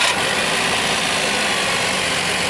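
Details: Maruti Suzuki WagonR K-series on company-fitted CNG after repairing the cylinder 2 gas injector wiring (P0202): engine ticks over steadily beneath a loud hiss, no stumble or missing beat; running normally on gas.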